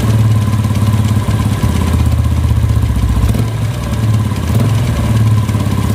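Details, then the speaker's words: Vega R New motorcycle engine when slightly revved: loud low idle with a clak-clak clacking rattle riding on the beat, loudest at the clutch side. The mechanic suspects the clutch; the cause is not yet confirmed. "Vega R new ini mempunyai penyakit berisik di bagian mesin saat di cas sedikit itu ada bunyi berisik share gitu"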